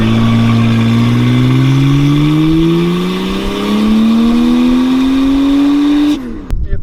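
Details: Toyota Soarer with twin turbos, brake-boosting against the brakes: pitch climbs steadily six seconds then cut, thin turbo whistle, boost gauge barely moves; no boost leaks found, turbo missing its wheel.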